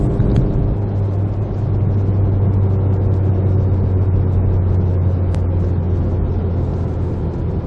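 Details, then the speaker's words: VW GTI Stage 2 with APR downpipe and otherwise factory exhaust, heard in cabin, windows up, accelerating gently: heavy, steady low boom between 2800 and 3500 rpm. Exhaust drone, later cured by a Vibrant resonator replacing the factory front muffler. "It's just that little spot right between 2800 and 3500 rpm."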